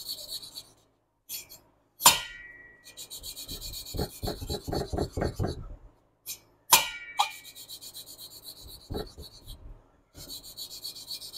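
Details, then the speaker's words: 1976 Porsche 912E Type 4 2.0 cylinder head valve being hand-lapped: soft, even rasping strokes growing quieter with no tonal change, showing the valve is properly seated. "Once you start to hear it quieting down and there's no tonal change, that means that valve's been properly latched to that port."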